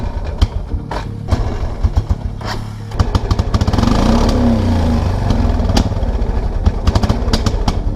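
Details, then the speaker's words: 1999 Kawasaki Prairie 300 ATV, single cylinder, stranded on trail, light throttle: sputters and pops, surging then sagging, nearly dies; owner fears fouled plug, rules out stuck choke since cable moves. "plug the choke isn't like stuck on is it it can't be because the the cable's moving"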